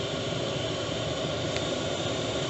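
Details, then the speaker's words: Chinese diesel heater newly fitted in a 1988 Toyota Hiace campervan, output on full, still warming up, van at 5 degrees with door closed; steady even roar of fan and burner, no knocks or surging; running normally. "got the output on full coming out warm it's not fully up yet just about up to speed"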